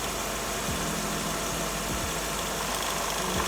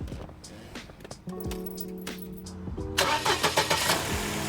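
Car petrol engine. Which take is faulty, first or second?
first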